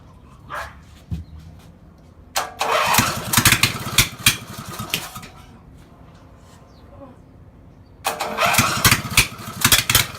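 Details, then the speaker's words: Small mower engine run after 10+ years: it catches in uneven bursts and stumbles, sounding like a misfire but actually running rich from flooding with the choke stuck closed. "[Music] you guys probably can't see that but the thing is misfiring is what it sounds like"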